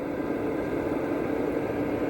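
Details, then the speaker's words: Van's fuel-burning heater: the burner seems not to fully ignite and isn't blowing hot air. The blower gives only an even, soft drone with a faint hum and weak airflow while it cycles trying to reignite. "but it's not blowing. The fan's not blowing as hard as it's supposed to."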